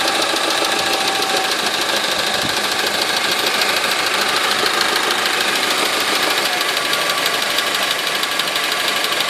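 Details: Small Honda 4D engine at idle with a harsh, rapid metallic knocking riding on top throughout; source not identified. Engine knock at idle.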